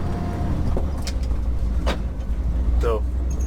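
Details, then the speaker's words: 1969 Ford F-350 with swapped 352 FE V8, 4.56 gears, taking off in second gear at low speed: deep steady smooth rumble, no ticking or exhaust puffing; quieter after exhaust manifold gaskets fixed, normal running. "take off in second gear for sure already tell it's doing a lot better running smoother for sure quieter that i fixed those exhaust manifold gaskets"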